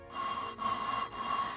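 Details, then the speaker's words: Honda B17A1 VTEC head for CRX, lapping Ferrea valves with grinding compound: three gritty sandy rasping strokes, seat not yet mated; keep lapping until smooth, tapping valve on seat between rounds. "will get from crunchy to smooth. When it does that, you pick up the valve, tap it on the seat a few times, and go back to smoothing."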